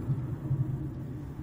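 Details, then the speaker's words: Car driving after the rear creak near the trunk was fixed by lubricating the white strut dust boots with WD-40: only smooth low road rumble, no creak or squeak from the rear; suspension now quiet. "в общем звук был из-за вот этих вот штучек день за к как назвать назову их пыльники стоек смазали их и все отлично стало"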